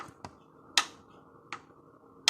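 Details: Skoda Fabia 1.4 petrol BKY engine: sharp metallic piston knock at top dead centre about every three-quarters second, worn loose pistons rocking against cylinder walls; all pistons worn, fourth same, cylinders also scuffed.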